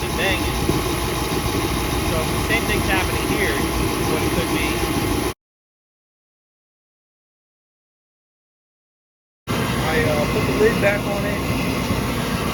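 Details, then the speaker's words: 40-year-old kerosene torpedo heater that used to misfire and shoot fireballs, just plugged in, warming up: steady even roar of burner and fan, no popping or banging, firing cleanly. Normal running. "i didn't catch it turn it on but i plugged it in and it's running so i'll let it run for a few minutes and get hot"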